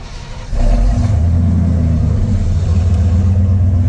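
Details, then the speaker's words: Ford F150 project truck after an expander plug that sat too far in and was smacking was backed out: it catches and settles into a smooth, even idle with the earlier knocking gone. "All right, that sounds much better, guys. I'm sure you guys could hear that knocking earlier, but now listen to her."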